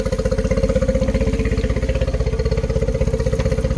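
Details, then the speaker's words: 2013 Yamaha 9.9 four-stroke outboard, being diagnosed for rough running, compression good: steady even pulsing, no misses, idling 800 rpm matching 800 spec; normal idle. "okay she's got great compression okay just to yep that's perfect could be a smidge fast i don't think so i think it's just perfect i put my uh my voltage meter on it with uh my dwell clamp and says it's doing 800 and spec is 800 so"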